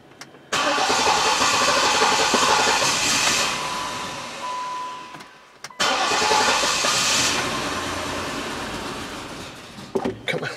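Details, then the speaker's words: Auction Jeep Liberty 3.7 that would start only occasionally, with loud mechanical noise and no idle: two cranking bursts with a fast, lopsided rhythm that never catches cleanly; a no-start traced to exhaust valves not opening on two cylinders. "yeah you know I'm not gonna sit and just burn this starter off the fact is it doesn't sound good"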